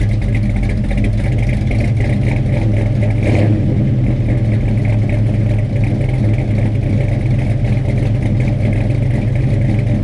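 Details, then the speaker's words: Freshly installed 450 hp Blueprint crate V8 with a carburetor, first start: deep, steady idle with a slight rhythmic cam chop, even and strong throughout; healthy. "Cam's got a little chop to it."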